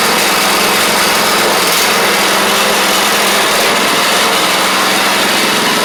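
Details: Troy-Bilt Pony riding mower, first start of the replacement engine on fresh gas after the seized original was swapped out: single-cylinder runs at a steady fast pace with a busy, even buzz, no knocks; runs normally, though smoky.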